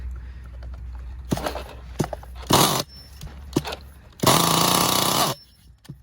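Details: Losi LST with Mach .26 nitro engine, rebuilt carburetor with new boots and O-rings and a cleaned air filter: short sharp rev bursts that drop back cleanly, crisp and free-revving, a healthy run.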